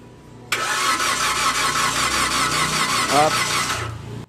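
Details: 2015 Toyota Avanza that won't run, cranked after fitting new spark plugs: steady cranking for about three seconds with no catch, then stops; crank no start, camshaft position sensor later removed for cleaning.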